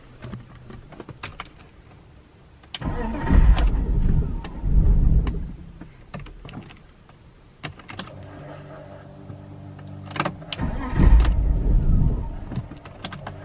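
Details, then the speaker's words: 2000 BMW E46 323ci coupe cranking with fuel pump audibly running, engine won't start; worst it has been, starting worse than when bought; owner suspects fuel pump, fuel pressure not yet checked: crank no-start. "So you can actually hear it, definitely working, but it's just not starting."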